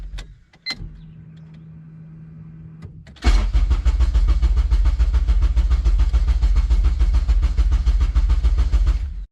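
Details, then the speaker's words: Honda Civic after K-swap, freshly flashed K-Pro calibration: starter cranks steadily about three to four turns a second for six seconds before it barely fires; long crank, hard start. Engine then runs very rich and dies; needs tuning. "It kind of wants to fire on. No, don't die. Come on, baby."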